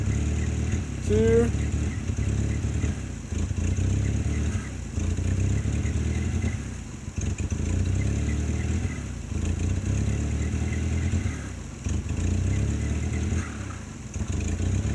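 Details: 1994 Dodge Ram, about 90,000 original miles, sat six months, taped-up plug wires: rough, uneven idle, quick throttle blips sag and stumble before recovering; bogs when revved, owner suspects carburetor, possibly fuel pump.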